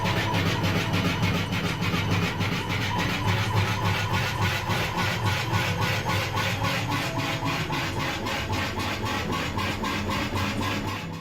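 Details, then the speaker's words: Washing machine drum turning with a shrill rubbing squeak about three times a second over a low motor hum, from tub suspension springs whose hooks have lost their grease. "quand il y a plus de graisse ça peut tout simplement grincer et faire des bruits assez strident"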